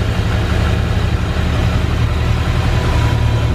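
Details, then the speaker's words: Subaru GC8 Impreza Turbo EJ20 after 7 months stood outdoors, first start after building oil pressure and reconnecting cam sensor: catches and settles into steady, even idle with deep low rumble, no knocks or misses; normal idle. "And that, ladies and gentlemen, boys and girls, is why we love Subaru."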